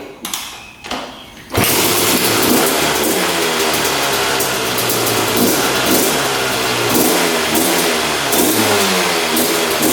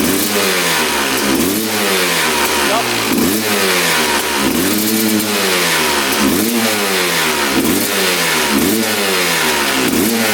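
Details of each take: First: 2001 Honda CR250 two-stroke dirt bike that the seller said would not run, started on the choke and firing on the second or third kick; it revs raggedly and slowly, smoking a lot, with sluggish throttle; owner suspects rich running, cause unconfirmed. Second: 2001 Honda CR250 two-stroke, power valve check: crisp blips every second or so, climbing cleanly and dropping back to idle without stumbling; power valves confirmed opening fully and returning.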